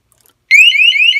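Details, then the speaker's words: Airthereal WiFi water leak sensor in flood-mode test: after water is poured around the sensor base, a loud, high, warbling electronic alarm starts quickly and holds steady; very sensitive leak detection. "Wow, it didn't take much at all. You can hear the alarm going off. That guy's really sensitive."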